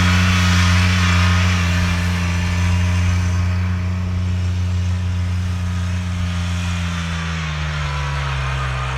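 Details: Kubota RTV900 diesel utility vehicle, final hill run after hydrostatic transmission repair; weak drive blamed on 10 years unchanged filters, possibly low oil from leaks wearing pumps. Even diesel hum steady under climbing load, easing near end, no grinding or whine; normal hydrostatic drive under load.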